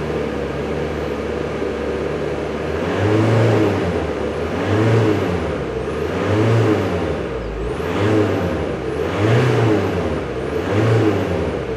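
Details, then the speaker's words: Audi A4 Avant with intermittent power loss, boost seemingly dropping out: engine revved repeatedly about every two seconds, specified boost 967 mbar vs actual 979; clean turbo whistle rises and falls with each rev, spooling and boosting normally. "запустим двигатель и посмотрим в параметрах что мы тут видим значит необходимое давление 967 или бар действующая 979 в принципе около правды поглазеем чуть-чуть слышим как турбинка начинает по чуть-чуть свистеть"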